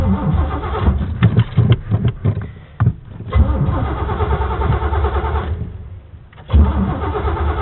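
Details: Chevy truck: uneven cranking bursts with pauses, the engine never catching or holding a run; cranks but will not start. Cause not confirmed.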